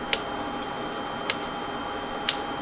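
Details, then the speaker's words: Pioneer SX-6000 receiver phono preamp: steady hiss, faint whistle and sharp crackling pops about once a second, with both channels bad. Noisy transistors in the phono head-amp stage are suspected and are to be replaced. "So yeah, I'm going to have to see, it's probably noisy transistors, and I'd say both channels are looking bad."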